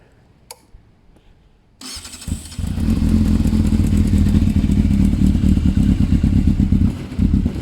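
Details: Yamaha Thundercat 600 after an exhaust change: cranks and fires, then settles into a crisp, even throbbing with light blips and a throaty exhaust. It sounds much better. Normal running.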